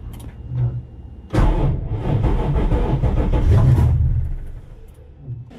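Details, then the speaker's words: Tacoma with swapped Toyota 3UR-FE 5.7L Tundra V8, new ECU, cold day, after changing a 20 amp fuse: uneven low rumbling churn for about 2.5 seconds while cranking, never catches; cause of noise and no-start unknown. "sure do wonder what that noise is now"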